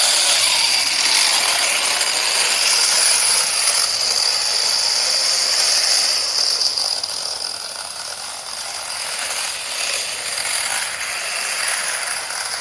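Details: 3D-printed RC tank with brushed 540 45-turn motors and 60A ESCs, driven in the shop: light high-pitched whirring with a steady ratcheting clatter about four per second; the loose tracks are skipping and need tightening.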